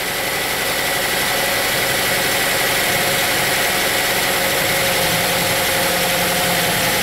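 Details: 2007 Saab 9-3 2.0T, codes P1682 and P0201-P0204, intermittent rough running, fuel smell and smoke, injectors staying on: idles unevenly with shaky, stumbling, missing beat under a hissy top end; rough idle.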